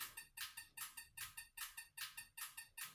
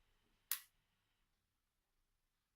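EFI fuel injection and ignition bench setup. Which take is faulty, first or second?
second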